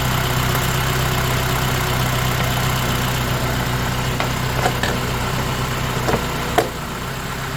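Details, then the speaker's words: Honda Element K24 on its first start-up, valve lash still to be adjusted, with what is thought to be a damaged resonator after the cat. Steady even idle with a smooth hum and a few light clicks, no miss or knock; sounds good. "It's It sounds good. Let's go from a distance. Sounds good."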